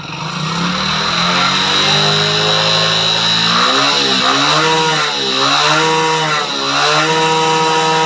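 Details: Motorcycle engine making noise at about 25,000 km, burning some oil with faint white smoke, revved at full throttle: rough, buzzy mechanical edge as revs rise and dip, pointing to a worn engine.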